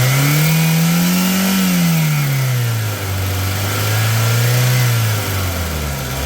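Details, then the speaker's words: 2006 Hyundai Getz, 78,000 km, with engine, brake and coolant oils recently changed. Smooth, even revving through two blips with a steady idle between, no knocks or rattles, and no blow-by gas from the engine. Normal engine revving. "Engine sound వినొచ్చు మీరు ఎలా వస్తుంది ఏందనేది చాలా smooth గా ఉంది engine"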